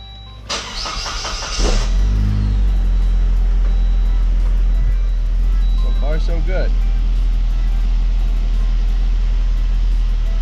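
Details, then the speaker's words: Saab starting after automatic transmission fluid flush; short crank, catches within a second and settles into a steady, even idle with no knocks or whine; running normally. "let's check it out sounds good and looks good must be good"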